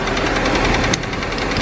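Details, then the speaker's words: Audi A4 B5: steady hard metallic knocking through idle; owner first feared rod knock but later concluded it isn't, suspects timing chain at back of engine; a leak under the manifold also present; cause not confirmed. "so you hear that knocking noise i thought"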